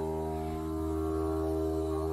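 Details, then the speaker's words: Toilet on flush and refill: a loud, steady low buzz heard through the supply pipe, holding one pitch while the tank fills; fill valve suspected, with a trapped air bubble or the shutoff valve as alternatives, and the fill valve replaced. "flush the toilet my buzz is like crazy as you can hear"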